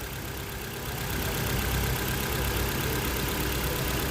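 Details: Ford Fiesta/Focus warm idle after resetting camshaft timing that was 30 degrees out, which caused idle hiccups despite new coil, plugs and throttle body: dense, even rumble, no stumbles or hunting; running smoothly.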